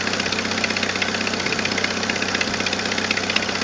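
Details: 1997 Jeep Wrangler TJ 2.5L at idle before repair: quick, regular sharp ticking about two to three per second from a leaking exhaust manifold gasket with a missing manifold stud; fixed by replacing gasket and stud.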